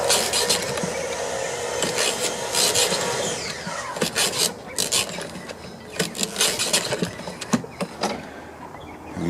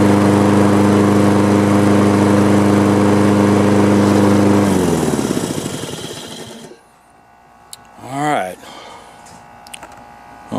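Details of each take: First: Husqvarna AWD lawn mower (ran rough, carb and deck clogged with thick mud), cranking recoil starter: rough, uneven dry scraping bursts, no firing; shaft not bent, pull-start wobbles, hitting caked-up debris and rubbing a bent tab. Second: Husqvarna AWD mower, was running rough with mud-clogged carburetor, after reassembly: steady even beat with no misses or surging, winds down smoothly at shutdown; normal running.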